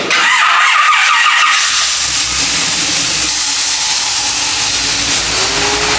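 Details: 1976 Chevy C10 with an LS7 V8, initial startup after electrical harness rework: after a short pause it catches and settles into a steady, even run with no misfire or knock. Healthy start.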